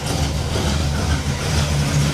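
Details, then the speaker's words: 1968 Pontiac Tempest Custom Convertible V8 just started on cleaned, refitted carburetor with initially empty bowls, after a spit that blew a gasket: deep lumpy idle, steady even rumble, no misses or popping; sounds healthy. "This carburetor sounds a little bit better. I'm not sure why it spit like that, and it blew my gasket."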